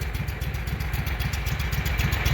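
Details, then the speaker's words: Walker mower brought in for backfiring through the carburetor, after breaking loose a stuck part and spraying PB Blaster: low, even putter at a steady lower idle, no longer full idle, with no misses, pops or backfires; running fine. "okay let's start it back up and see what she does at the lower idle that doesn't sound too bad the other one was full full idle"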